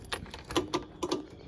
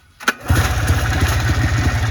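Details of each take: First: 2004 Trailblazer 250 two-stroke not starting: a handful of sharp dry clicks with no cranking or firing; the sister machine's fault was a bad key switch. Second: Trailblazer 250 two-stroke that had a no-start fault traced to a bad key switch, now with new key switch: pull start catches at once and settles into a steady even idle; starting and running healthy.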